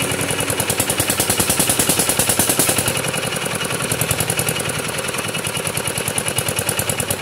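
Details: Kubota RD65DIS single-cylinder diesel, modified with RD85 pusher and non-standard piston, test-run after cylinder head refit and timing set, no exhaust fitted: sharp, even unmuffled bangs about 200 a minute, no misses or knocks; clean, dry combustion, running normally.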